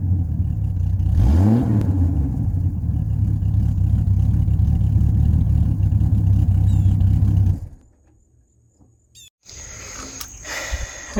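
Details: 1989 Jeep Cherokee XJ, 4.6L I6 stroker, old muffler blown out at the bottom, before Flowmaster 50 install: loud raw low rumble at idle swelling to a deep blat on quick rev; exhaust barely silenced.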